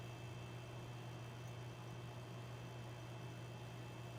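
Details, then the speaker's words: A Dumont RA-109 tube television, powered up at full AC after long storage and a prior catastrophic failure, gives a steady, fixed-pitch buzz over faint hiss. The buzz is from the vertical output transformer; the horizontal section is silent. "there's definitely some Transformer hum and then I can't tell if that's a horizontal or vertical oscillator oh it's the vertical you hear that vertical output Transformer right there"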